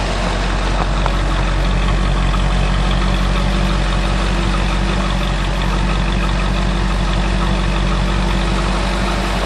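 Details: 1972 Ford truck V8 after fixing loose driver-side spark plugs that owner thinks let compression blow out so it ran on one bank; deep, steady, unbroken idle burble with no stumbles or misses; idling normally, much better than before.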